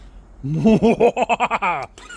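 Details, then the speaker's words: New 2025 Yamaha YZF-R3 twin, first startup out of the crate: starter churns about six even compression pulses a second and never catches; fuel system not yet primed, fires after cycling the pump. "There you go. We just needed to prime up the fuel system onto that, right? So sometimes if it's been left for a very long time or coming new out of the crate, sometime"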